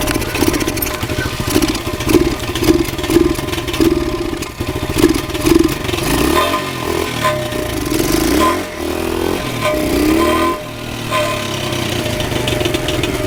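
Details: Pit bike single-cylinder after 45 minutes of work, motor missing some mounting bolts: engine surges and stumbles unevenly, revs dropping out and catching again; owner suspected muffler, valves or head gasket, but the tank was out of gas.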